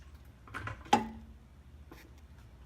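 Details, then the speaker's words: Nissan 350Z with SPC upper control arms, jacked up and lowered: single sharp metallic clunk with short ring, felt at the upper ball joint; worn upper ball joint, to be replaced separately. "You hear it? God, that's an annoying sound. But yeah, so it's the ball joint."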